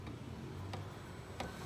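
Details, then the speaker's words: Webasto 12 V diesel heater at start-up: sharp, evenly spaced ticks about 1.5 per second over a low blower hum, the fuel dosing pump working normally as it begins heating. "Bu sesi duyuyorsanız ısınıyor anlamına geliyor."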